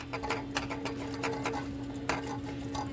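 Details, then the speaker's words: Car making a new noise on the drive home right after an oil change; owner feared engine knock, but it was a loose plastic underbody cover. Light, irregular plastic ticking and rattling over a steady engine drone. "This customer just had an oil change when this noise started up on the way home. They freaked out thinking it was the engine knocking and took it back to the mechanics, but it was just a loose plastic cover underneath."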